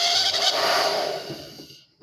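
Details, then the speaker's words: TAIFF 2100W titanium hair dryer running with strong airflow but making a loud piercing screech over the roar, fading at switch-off; owner first suspected carbon brushes, finds a dry, hair-clogged motor bearing needing cleaning and lubrication. "problema dele é esse ele tá funcionando saindo um vento forte só que ele fica fazendo um barulhão ó gritando tá"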